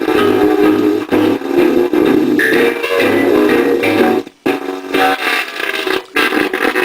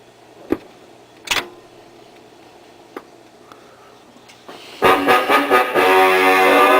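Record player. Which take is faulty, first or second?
first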